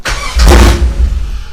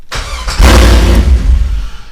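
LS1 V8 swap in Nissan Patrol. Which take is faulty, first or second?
first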